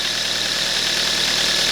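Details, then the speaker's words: 2007 Kia Ceed 1.6 petrol, 150,000 km, after intake cam phaser replacement and loosening an overtightened alternator belt that made the bearings noisy: steady, even idle with no rattle, possibly a slight valve tick with clearances in spec. "Ну здається цього звуку Я вже не чую тихенько тут там можливо чути трішки клапанці Ну зазори там в допусках"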